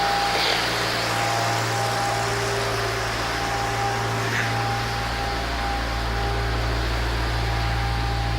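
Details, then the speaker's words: 2013 Maserati Quattroporte, 31K miles, exhaust heard at the rear at idle. Deep, even exhaust burble with a faint fan hiss, smooth and steady with no puffing or rattles. Normal idle exhaust note. "Got a nice sound. Engine runs real nice."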